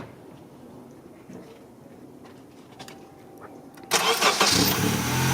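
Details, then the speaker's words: 2001 Honda CR-V that had a grinding starter, after installing the missing second starter mounting bolt: a quick crank, then it catches cleanly into a steady idle with no grinding. Normal start, fixed. "So now those bolts are installed. Now it's starting good."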